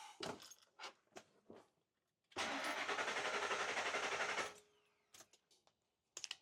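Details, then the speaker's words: Ford vehicle diagnosed with a scan tool on crank: two seconds of brisk even cranking that never fires; cranks but no start, needs a fuel pump. "Needs a fuel pump."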